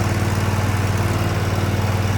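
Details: 2024 Cub Cadet ZT1 54-inch zero-turn mower just started at about half throttle with choke out and blade PTO disengaged: steady low thrum with an even, rapid beat, no misses or knocks. Normal running.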